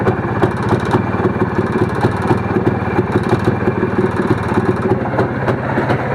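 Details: Motorcycle carburetor throttle plate: engine runs clean at idle, but with a slight throttle opening the loose, worn plate flutters, giving a fast light metallic rattle; fix is fitting a new throttle plate.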